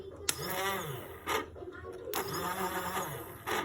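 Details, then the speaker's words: Yamaha Sniper 150 starter motor, removed from the bike and spun on its own: short spin-ups give a gritty, uneven whir instead of a smooth hum; the starter itself is the source of the rough sound. "So ito na nga pala yung starter na ito. Kaya pala ang gaspang na ng tunog."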